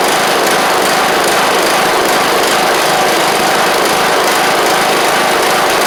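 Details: John Deere LA100 riding mower (5-speed transaxle), sat a long time with water in the tank and hard starting blamed on valves, now running off choke: loud, even high-pitched single-cylinder buzz at steady speed, no misses or knocks; runs fine, though the spark plug is suspected to have failed.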